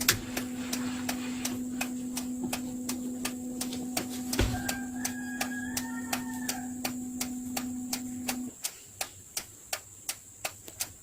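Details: Mitsubishi Pajero Sport with the ignition on, turn signal switched on while probing turn-signal wires for a start-stop engine module install: crisp, evenly spaced flasher clicks about two or three a second with a faint hum behind; normal flasher operation.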